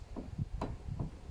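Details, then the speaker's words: Kia Rio X, front left, wheel off, steering wheel rocked: quiet, dull isolated knocks about every 0.8 s from a worn strut top mount bearing, which moves differently from the right one; retightening the 17 mm nut did not stop the knock. "вот этот звук в общем звук идет от опорного подшипника стойки слушаем и опорный подшипник кстати странно правый не так ходит как левый"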